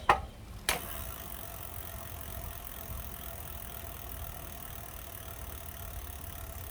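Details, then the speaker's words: Lectric step-through e-bike wheel after loosening and readjusting the brake: a couple of clicks, then the wheel spins quietly and evenly with no brake rubbing. "And I don't hear any rubbing anymore."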